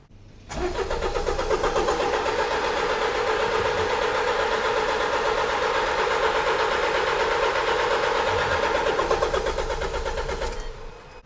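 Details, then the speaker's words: 2015 Jaguar XE Ingenium diesel non-runner. Starter cranks steadily at about 167 beats per minute for ten seconds without firing; injectors switching and fuel pressure rising, owner suspects the injectors are not delivering fuel. Crank no start. "And we can see the injector switching on. So what that means is that the engine ECU is trying to start this engine."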